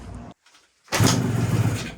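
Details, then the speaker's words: 1980 Suzuki TS185 two-stroke stored over 20 years outdoors, kick-started after cleaning an oil-fouled plug: after a quiet pause it catches in a low sputtering burst for about a second, then fades. First signs of life, not yet running. "Ooh. You got something there. Okay, signs of life, that's good. I can hear it kind of wanting to go."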